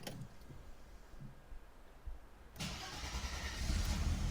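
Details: Mercedes W124 300E-24 six after oil level switch replacement, refilled with just over 7 litres and primed by cranking with injection and ignition disabled: quiet crank, quick catch, smooth even idle with no knocks or rattles; healthy start with instant oil pressure.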